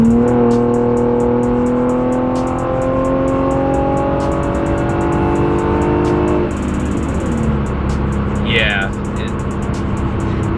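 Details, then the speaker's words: Infiniti G37 driving after exhaust leak repair: engine climbs smoothly through a gear, shifts up and pulls again with no ticking or puffing; feels and sounds happier, leak gone. "big difference uh it definitely feels happier and sounds happier so yeah"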